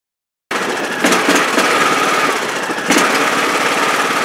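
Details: Riding mower with Briggs & Stratton Intech engine surging under load at mid-range throttle, not at idle or high speed; pitch and loudness swell unevenly; cause found to be the carburetor linkage anti-slack/governor spring.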